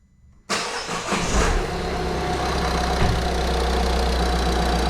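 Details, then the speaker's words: Citroen C5 1.6 HDi diesel after timing belt and water pump replacement and coolant bleeding: short crank, fires straight away into a steady even idle clatter; healthy start. "start starts right up running perfect so yeah that's it"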